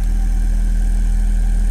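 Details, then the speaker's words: Alesis M1 Active MK2 speaker playing a 35–40 Hz test tone: deep steady tone with an airy buzz; air leaking from the cabinet around the rear volume control knob, defeating the ports. "uh-oh can you hear that sort of Airy buzzing sound yeah there's a leak there's an air leak in these speakers"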